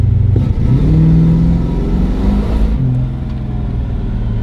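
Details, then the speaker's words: Datsun with a 350 Chevy V8 that loses ignition when hot. On a simulated launch from about 1500 rpm, it bogs and drops in pitch before pulling and can stall; cause unclear. Stumble under load. "you can hear it stumble before it goes. And then, like Matt said, it will kill itself."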